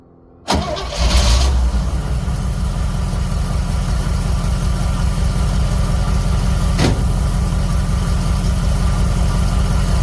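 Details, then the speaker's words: Cold start of a small-block Chevy V8 with an Edelbrock carburetor, sitting a couple of weeks since a transmission install, just key turned: quick crank, catches at once, steady even low idle without misses or knocks. Normal. "I didn't do anything. I turned the key. They just run so good."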